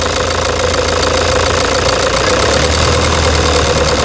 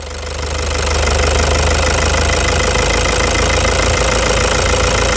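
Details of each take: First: 2009 Toyota Hilux diesel idling with a loud hard knock about three times a second and rough shaking vibration, engine misfire from a stuck, defective injector unit. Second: 2009 Toyota Hilux diesel at idle after the stuck injector was repaired with new nozzle tips: steady even idle, light clatter about four beats a second, no heavy knock; injectors now healthy.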